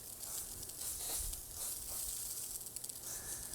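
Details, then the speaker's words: Lawn irrigation system at spring startup: steady sputtering hiss and spitting bursts as air purges from a sprinkler head while the line fills with water; normal, run until bubbling stops. "So you hear that noise. That's some air that's coming to that sprinkler head, and the line is still filling up with water."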